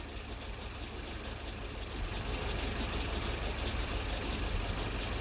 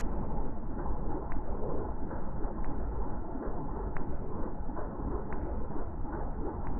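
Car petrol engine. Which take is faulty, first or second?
first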